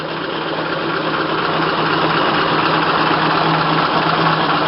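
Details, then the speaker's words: Low-mileage 1927 Packard 443 Club Coupe, just fired up and still cold: smooth, even low idle with soft steady beat, no knocks or misses; sounds good and runs well. "Fires right up. Yeah, it's still cold, but you can see it sounds good and runs well."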